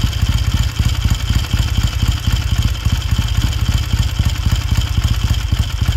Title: 1969 Triumph T100c one kick cold start after rebuild